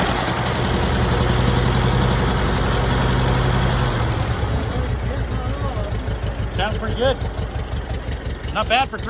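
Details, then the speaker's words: 1947 Case VAH loader tractor bought for $300, unknown how long since it last ran, just started using the choke. Low, steady, even thumping idle with no knocks or misses; it sounds good. "Well, I don't know how long it's been since it ran. It sure sounds good."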